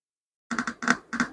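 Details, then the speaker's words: Tape recorder speaker tested with a battery across its lead and ground while checking a no-sound fault before amplifier board replacement: scratchy crackle bursts at each contact; speaker is good. "Okay so speaker நல்லாதான் இருக்கு"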